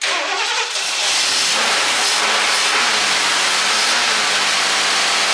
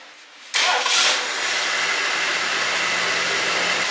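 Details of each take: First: 1978 Lincoln Continental 460 big-block V8, buried 15 years, fed old fuel with fuel pump off: fires, surges unevenly and dies, flooding from a stuck carburetor float overflowing the bowl. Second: 1978 Lincoln Continental 460 big-block V8, revived after 15 years stored, started after an oil change: quick crank catches at once and settles into a steady, even idle with no knocks or ticks; normal start and idle.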